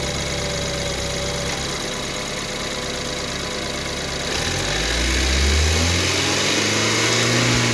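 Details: 2014 BMW 328i N20 engine, built 06/2014, cold start, idle and revs; busy metallic rattle and whir over the idle, suspected timing chain noise, not confirmed.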